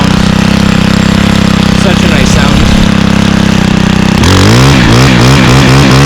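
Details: Stihl 27cc two-stroke trimmer (same engine as FS38/46/55) started on second pull: steady high idle buzz rising and falling crisply with each throttle blip, like an ATV revving; runs clean and normal.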